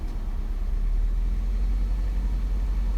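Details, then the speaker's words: 2005 Nissan Altima 2.5 four-cylinder petrol, 200,000 on odometer, revved lightly: deep uneven lumpy stumbling rumble, misfire on cylinders 1 and 4 (P0301), caused by bad valve cover spark plug tube seals; fixed by replacing valve cover. "yeah she's misfiring really good right there"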